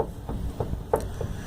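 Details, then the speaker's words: Fiat Uno front suspension rocked by hand: short creaks about three a second from a worn lower control arm bushing on a replaced arm; steering box, shock and axle were suspected first. "esse braço eu troquei quase os 4 anos T ouvindo um barulho vou desmontar Aqui estou PR olhar a bucha mas o barulho é esse aqui"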